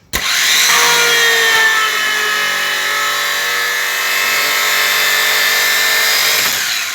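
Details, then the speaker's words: Alfa Romeo 147 starter motor bench-tested after strip-down and greasing: strong, steady whine that holds pitch with no slipping or grinding. The Bendix engaged and did not slip; the earlier noise came only from the starter being dry. "Yeah, you can see there where the Bendix was running. So it shows us that Bendix is not slippery. It was just noise because the starter was just dry. It was just noise from dry of the starter inside the grease."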